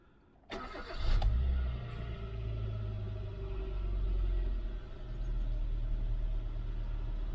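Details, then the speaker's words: Chain-driven petrol engine with very low mileage, clean oil and correct coolant, at cold start: it cranks briefly, catches, flares, then settles to a smooth, even idle with no timing chain rattle. Normal. "idling nicely didn't hear any rattle on startup all sounds good"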